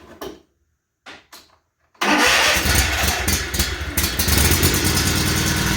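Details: Toro TimeCutter SS5000 zero-turn mower after replacing electric brake control module (part 121-3017) for a no-start: brief crank, catches at once, steady even running with no misses; starts cleanly.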